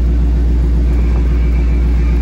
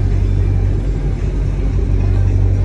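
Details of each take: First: Dodge Charger after blend door actuator replacement, engine idling with AC on and temperature zones switched: steady low idle rumble with faint blower hiss and no clicking from behind the dash; actuator now working normally. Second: Dodge Charger idling while the AC temperature is changed toward hot. A rapid, steady ticking about three per second starts over the idle. The top blend door actuator is failing and clicking.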